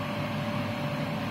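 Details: Haas TM1 CNC mill spindle running after drive belt replacement and re-tensioning, with its loud spindle fan; steady even hum, constant mid tone and fan rush, no knocks or rubbing, sounding as it used to, though untested cutting metal.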